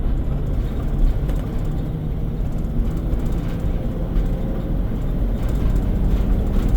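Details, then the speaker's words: 2004 Four Winds Class C motorhome cruising on a road: low, steady rumbling drone under road noise, like highway or mud tires humming; source unclear, droning noise while driving. "It almost sounds like highway tires on the highway or maybe uh mudding tires on the highway right now."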